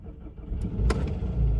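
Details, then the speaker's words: 2003 Audi A3 2.0 petrol, unstarted for 10 years, on a new battery with just under half a tank: short cranking, a sharp catch, then a steady low rumble. It starts cleanly with no misfire. "Look at that! No way. No way. Not started in 10 years. And it fires up like that."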